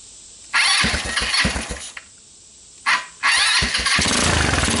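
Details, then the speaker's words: Rapidity GY6 150cc ATV after PZ27 carburetor swap, ignition swaps and valve adjustment (misadjusted valves caused bogging and stalling; timing chain checked tight): fires up, cuts out briefly, restarts and settles into a steady, even run with crisp exhaust, no valve tick; much better. "wow i'd say that's a lot better"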